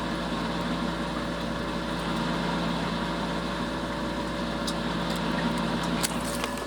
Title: Bad Water pump